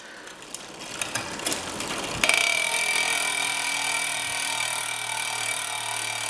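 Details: Giant Liv Avail Pro 0 Di2 rear derailleur after adjustment (set to 17 instead of 18), shifted via the phone app: a few crisp clicks, then a clean shift into a smooth spinning chain; indexing properly.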